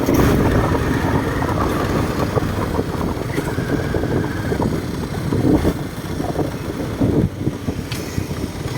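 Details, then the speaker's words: Suzuki Smash FI fuel-injected motorcycle road test after replacing worn three-shoe clutch that made it shake and jerk on pull-away; small single revving and settling smoothly, steady pulling, no judder, light road noise: runs well, no problem. "วิ่งดีเลยนะครับผมไม่มีปัญหานะครับผมวิ่งไม่สั่นนะ"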